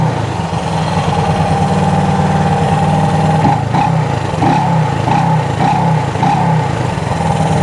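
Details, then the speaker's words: Honda CB360 twin after cam chain and valve adjustment, points gap, timing and carb sync: smooth, even idle with evenly spaced beat, light throttle blips rising and falling cleanly; carbs balanced, running normally. "I mean she's she's running like a singing sewing Singer sewing machine"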